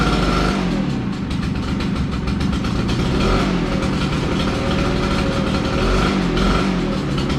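Small engine buzzing along with a slight rise and fall in speed, no knocking or grinding; a new unit running normally.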